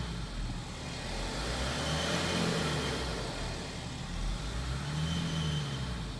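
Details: BMW F15: an engine drone with a faint high turbo whistle that rises and falls as the revs swell; cause undetermined.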